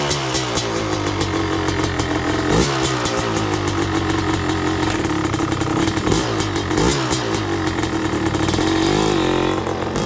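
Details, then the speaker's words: Yamaha YZ250 two-stroke, first start after a new clutch cable and a 750 ml oil change: a crisp crackle at fast idle with sharp throttle blips that climb and drop cleanly, so it runs healthy. "Alright, first start up with the new clutch."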